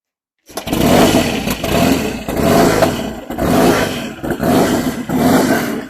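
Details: 1959 Indian Enfield big single, restored long-term project, low compression, fitted with a 2-into-1 reverse-cone megaphone sport pipe, kick-started and rumbling back to life: catches quickly, deep even loping rumble with clean throttle blips, no knocks; normal running.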